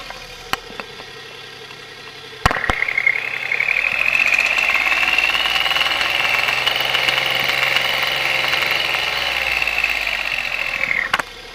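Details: Light, fairly quick tapping knock at idle on a hissy background from the small engine of a 1993 Geo Metro after a Seafoam treatment; cause of the knock unclear.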